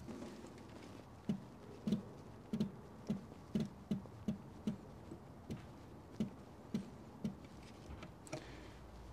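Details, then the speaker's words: Old Austin/Morris van electric fuel pump, tested with old diaphragm being softened: crisp single ticks about every half second, steady and regular; pump cycling and drawing fuel normally. "well it's twitching the fuel yeah that's pulling fuel"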